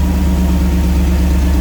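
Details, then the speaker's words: Turbo EFI 460 V8 with S480 turbo, just started in truck: deep even idle rumble, no ticking or valve clatter, no lost sync, charging voltage good; running slightly rich on warm-up enrichment. "Idling real smooth. No lost sync, my voltage."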